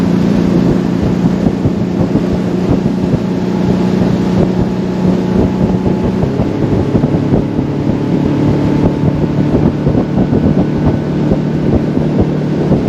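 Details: Center console boat outboard, unused a long time, on plane with old gas at fixed throttle: hull-and-motor drone over wind sags in pitch and picks back up; stale fuel surge, fixed by running it out and refilling fresh.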